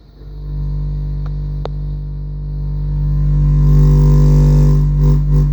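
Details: AA Mayhem 18 subwoofer wired in series at 4 ohms, playing test tones around 49 Hz and 30–33 Hz: a deep drone with a raspy buzz on top as it swells. Sub distorting on low notes.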